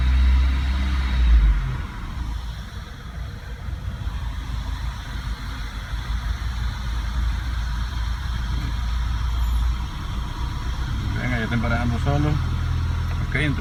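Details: 2007 Renault Logan, 1.6 8-valve single-cam engine, which had trouble starting: it catches and settles into a steady, even low rumble with a slightly raised cold idle, a normal cold start.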